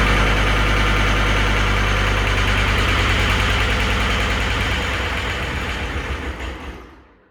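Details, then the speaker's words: 2012 John Deere 333D skid steer with reman long block diesel, another start attempt after crank sensor wiring work: ragged, uneven chuffing that slows and dies out, missing and over-fueling after start; cause not yet found. "it's like it gets going and then it starts missing and it starts over fueling for some reason so what's causing that"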